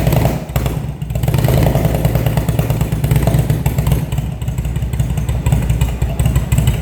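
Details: Engine started after a carburettor rebuild, fed from a remote fuel bag, after winter storage: strong even low rumble with no misfire or knock, holding steady through blips; starts and runs healthy.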